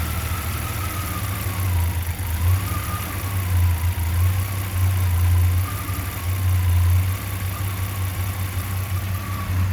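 Deep, lumpy idle whose loudness surges and sags every second or so, with a wavering tone above it; uneven idle, cause unclear.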